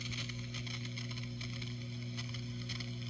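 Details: Steady low hum with faint fizzy chatter on top, never changing: ground loop and digital-pedal chatter from a daisy-chained One Spot pedal supply, removed by switching to isolated Caline power.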